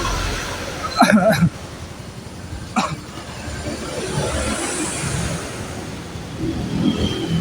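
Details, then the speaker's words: Yamaha Fino scooter after no-start repair, fuel, ignition and compression checked: light fairly steady putter behind handling knocks, no obvious knocking; idles smoothly, piston and connecting rod found in good condition. "mesinnya juga lumayan halus ya karena di bagian seher dan bagian stang tadi pas saya cek masih bagus"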